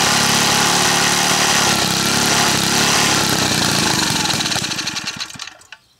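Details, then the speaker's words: Small gas engine restarted after sugar added to its fuel tank and packed sugar cleared from the fitting: runs hard and steady, then sags, sputters and stops within a minute; fuel starvation, fuel line totally blocked with sugar. "Okay, it stopped within 1 minute and I could tell as it sped up again that it was strictly due to uh uh fuel restriction. The engine stopped within a minute."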